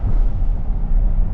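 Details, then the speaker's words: 2015 Ford F150 XLT FX4 5.0L V8 after replacing the IWE 4WD vacuum actuators, driving in two-wheel drive: steady low rumble with no front axle whine, smoother and quieter. "It's not engaged, much smoother turning, much quieter too. I don't hear that big axle whine where it sounds like it's in sport mode."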